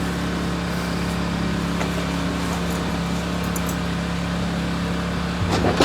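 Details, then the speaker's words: 1989 Chevy Blazer after replacing noisy lower idler pulley: steady, even idle hum with no chirp or squeal from belts, shakes a little, owner says it needs a tune-up; normal idle. "he's fixed he's fixed no more noise shakes a little bit I need to do a tuneup on this thing"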